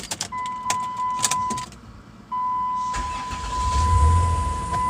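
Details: 2001 Chrysler Town and Country with intermittent click-no-start, after starter replacement: chime, brief crank, engine catches at once and settles into steady idle; normal start.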